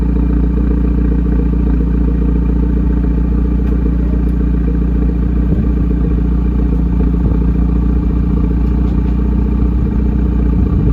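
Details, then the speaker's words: 2020 Hyundai Veloster N PP, Borla ATAK exhaust freshly installed with clamps at 35 ft-lb and exhaust valve connected, car raised, checking for leaks: deep even idle burble, no puffing or ticking; system sealed and healthy. "We'll turn it on right now, check for leaks, make sure the valve opens, and we'll lower the car, take it for a test drive."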